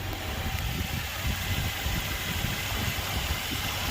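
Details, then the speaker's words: 2018 Ford Expedition Max after cam phaser replacement for startup rattle and keep-alive memory reset: smooth, even, quiet idle with steady low hum, no rattle or tapping; engine healthy. "It's running. Quiet. Real quiet."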